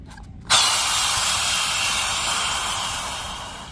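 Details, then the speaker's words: Car fuel tank cap opened: silence then sharp hiss fading over three seconds; trapped pressure from EVAP system damaged by filling fuel past the pump nozzle's first click, also logging codes and making the tank take fuel in bursts. "هنا بقى تبدأ معاك الاصوات اللي بتحصل بمجرد ما تيجي تفتح غطا التانك تسمع صوت."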